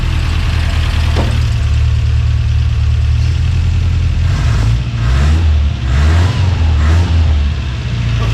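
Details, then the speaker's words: Subaru BRAT after repairs cured the rod knock: deep, steady exhaust rumble with clean throttle blips rising and falling smoothly, no knocks, ticks or misses. Normal revving. "Doesn't that sound sweet? That sounds so good."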